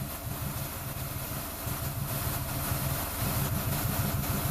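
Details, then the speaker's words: 2004 Ford Escape V6 at idle with code P0355 (coil E primary circuit), bad ECM driver suspected: pulses around two hundred a minute keep stumbling with skipped beats, puffing and backfiring; intermittent misfire at idle. "And again, that's why we hear it puffing and backfiring and all that, you know, stuff. And I can actually see the engine when it's misfiring."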